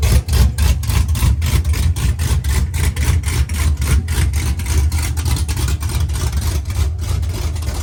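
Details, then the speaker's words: Truck V8 with mechanical DOD delete, DOD now removed from the tune (previously running on 4 cylinders), exhaust not yet fitted: deep idle with lumpy uneven chop about three pulses a second, "baby chop chop", all cylinders firing; healthy. "It has a baby chop chop."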